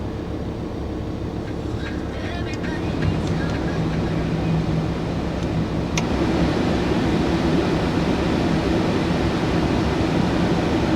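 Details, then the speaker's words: VW T5 Transporter heater blower after repair (previously fluctuated on speed 4 and blew the fuse): steady even rushing hum on speed 4, no scraping, squeal or surging; now works normally. "that's on four flat out I think she's a winner"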